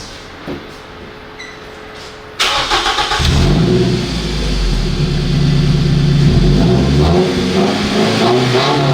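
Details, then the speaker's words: Scion tC after muffler delete, recorded inside the cabin: engine starts and revs to about 5,000 rpm with loud raspy booming exhaust drone far beyond stock; loud exhaust from muffler removal. "And how does it sound in the cabin? Let's take a listen. Oh yeah, it might be louder than I thought."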